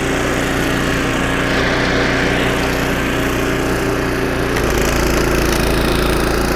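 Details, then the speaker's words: Snowblower about 25 years old, single-cylinder engine after carburetor rebuild with carb kit and new needle and seat, biting into snow: steady even chug holding speed, no misses or surging; normal running under load after repair. "Changing the needle and seat and installing a carb kit. Piece of cake. Job done."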